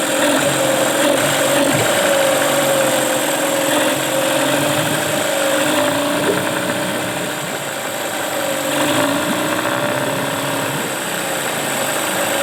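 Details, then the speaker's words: Tracker (Mercury Marine) 9.9 HP outboard back running after sitting a year unused: steady mid-pitched drone with even beat, no knocks or misses, running cleanly. "well that's it folks we got the tracker by Mercury Marine back in business"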